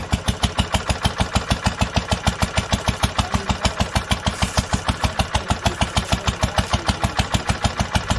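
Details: 1946 International Harvester LBB 3-5 hp water-cooled single-cylinder on first cold start after sitting long covered, choked twice; crisp very regular firing pops just over two per second, no misses or knocking: normal steady running.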